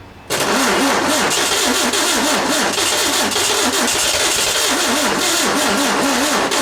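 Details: 1967 VW engine (ragtop), freshly re-sparked and fuel-primed; starter churns evenly with rhythmic rise and fall but engine never catches. Cranks but won't start, owner blames weak battery and hooks up more power.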